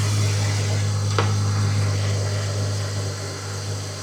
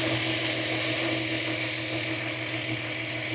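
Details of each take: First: Jeep XJ after replacing torn exhaust manifold gasket (was causing P0304 cylinder 4 misfire) and welding small exhaust crack, code cleared: steady low even hum with smooth regular beat, no hiss or puffing, no exhaust or vacuum leak heard; normal idle. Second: Jeep XJ setting code P0304 (cylinder 4 misfire) idles quietly under a loud, steady hiss; a torn intake/exhaust manifold gasket is causing a vacuum leak.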